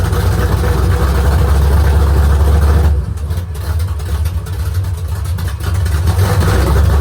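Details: Rebuilt V8 on straight open headers at first start, idle set low; lumpy with loose rattly clatter at low revs dying down as revs rise; valve lifter rattle, lash to be rechecked, lifters maybe not pumped up yet.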